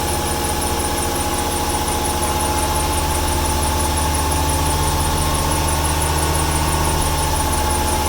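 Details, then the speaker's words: 1995 300 six with over 400k miles and a misfire, at idle: a thin, constant high squeal over the engine, a squeaky belt, possibly from rain the day before. "Here we go. Squeaky belt, it just rained yesterday."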